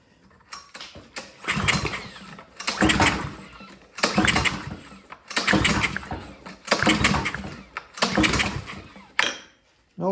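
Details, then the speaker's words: Ryobi 3300 PSI pressure washer, Honda GCV190 engine, sat a few years with gas in it, full choke: repeated rope pulls about every 1.3 seconds, brief churning crank, no firing; no-start, owner suspects old gas and clogged carburetor. "nothing next I'm just gonna choke us off I'm gonna spray some starting fluid in there and see if it'll pop off that way"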